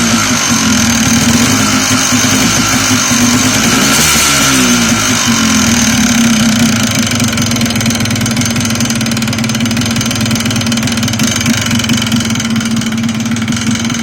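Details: Yamaha Blaster two-stroke idles busily with a loose, irregular knock mixed into the exhaust rattle; engine knock, cause unclear.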